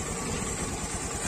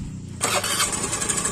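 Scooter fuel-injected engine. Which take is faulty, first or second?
second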